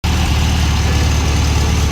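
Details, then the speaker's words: After alternator replacement on a VW Karmann Ghia, with 3 shims on the back and none on the front, the engine idles with a steady, even low rumble; the earlier grinding is gone and the generator light is off. Normal idle. "Okay, final answer. I put 3 shims on the back, no shims on the front, and I don't hear it. Tightened up and everything, I don't hear it."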